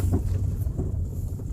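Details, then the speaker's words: Toyota Sienta driven over paving blocks: dull irregular "duk" thuds from both rear and front over heavy road rumble; the complaint is a "dug dug" noise when steering left or right, and the drive shafts checked fine. "Ya sekarang kita coba dites di jalan di konblok. Tuh di jalan konblok lebih bunyi lagi. Di belakang ada suara duk, di depan juga ada"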